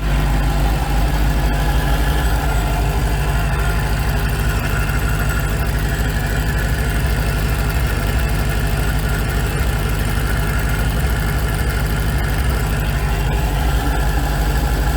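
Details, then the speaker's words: Dodge Hellcat supercharged V8 cold start, ear at supercharger snout after ported snout with race bearings install: faint whirring rattle over steady rumble; supercharger bearing noise, snout or rear bearing suspected. "So basically, the bearings, when I put my ear to the supercharger on startup because it's not hot, it sounds like it's coming from right in here."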